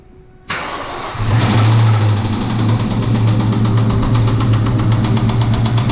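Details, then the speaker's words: Mustang V8 first started in two years after a new fuel pump: it cranks, catches and idles with a steady rapid metallic knock that first sounded high in the motor. Metal flakes in the oil confirmed a bottom-end rod knock. "let's get it she got robbed knock hardcore start up again"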